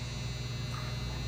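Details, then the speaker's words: Older Maytag Performa refrigerator PSD267LHES with Tecumseh compressor, new relay fitted, not cooling; steady low electrical hum with no starting kick. Locked compressor, to be replaced. "What it do? Come on. Oh yeah, that sounds delicious. Yeah, locked up."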